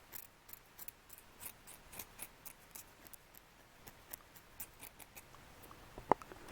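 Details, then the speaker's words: Ford F150 4.2 that hydro-locked, bent rod found on teardown: rough, gritty rasps about three a second as the rod bearing shell is rubbed by hand; its layers are separating, delaminated. "that is just as rough as it can be i've never seen a bearing do that"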